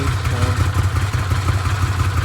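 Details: Arctic Cat Wildcat 1000/X side-by-side after starter gear upgrade and starter boss reinforcement: deep, steady low idle rumble with no clatter or grinding from the starter; engine settles and idles cleanly.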